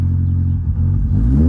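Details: Supercharged 2006 Cobalt LS on E85, first start after a month: brief ticking at start, suspected belt slip, then a smooth low rumble swelling with throttle, no ticking or slap; it sorted itself out.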